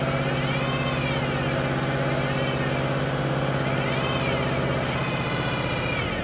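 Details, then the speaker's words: 2005 Ford Mustang 5-speed manual, engine at raised RPM while the clutch is slowly released; high whine swells and fades in pitch with bearing speed; worn bearing inside the transmission, possibly input shaft, not the throwout bearing. "The bearing is always going to be spinning at the same speed essentially. So, this is a bearing within the transmission."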